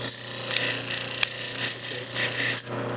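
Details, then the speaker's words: Doall 16" vertical bandsaw, 110 VAC, blade grinding wheel running: steady motor hum under a dry, even rasp with no chatter or surging; grinder runs normally. "Go to the grinding wheel, turn it on, you would grind your weld off the blade."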